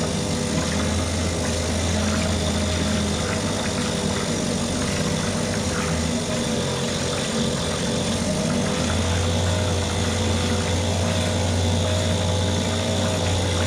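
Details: Mercury 2.5 hp two-stroke outboard after carburetor taken apart, soaked and cleaned; steady even buzz with constant low drone, no misses or surging over fourteen seconds: normal running.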